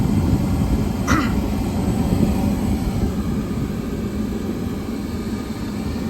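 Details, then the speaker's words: York rooftop unit, not heating, after a sticking inducer pressure switch was freed: a quick click, then a steady, even low roar with no surging; gas burner lit and running normally. "There she goes. That our pressure switch did stick."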